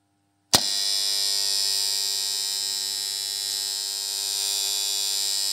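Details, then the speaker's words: Farm 3-phase motor starter: a sharp clack as it pulls in, then a loud, harsh, steady electrical buzz until it drops out, caused by dirty, misaligned contacts. "जर शेतकरी मित्रांनो तुमचं starter पण अशा प्रकारे जर जोरजोरात जर आवाज देत असेल तर त्याच्यावरती उपाय काय करायचा"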